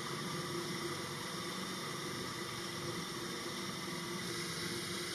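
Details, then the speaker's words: DIY CNC lathe add-on with a router spindle turning steel: dense, steady roar with a low hum as the motor bogs down under a heavy cut. It uses twice the first depth of cut, a higher feed rate and a brazed carbide insert. "this is 8,000 cut so twice what we started with and a higher feed rate about sixth out for Rev motor is bogged down but keeping a stiff upper lip"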